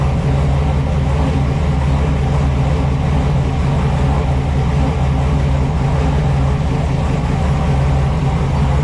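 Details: Small-block Chevy V8 swapped into a 4x4 Blazer, fire-up after new exhaust fitted (no longer open headers): deep, even lumpy burble holding steady, no knocks or ticks; normal healthy idle.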